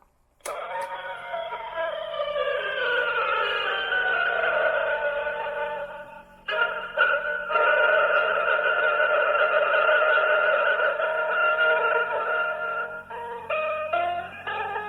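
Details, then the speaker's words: Vintage Aileron tape recorder, the worst wow and flutter of the eleven recorders tested, playing back music it recorded off AM radio. The sustained notes waver and wobble in pitch throughout; heavy wow and flutter. "this is the aileron this is the one that recorded uh and played back the worst wow and floater numbers"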